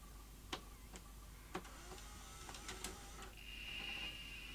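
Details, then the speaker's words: Philips VR2220 portable V2000 video recorder, damaged in the post, with a known-good tape: light mechanical whirring and sharp clicks, then rising motor whine as fast forward runs; stop button does not work, display partly dead. "sounds like Fast Forward is working though"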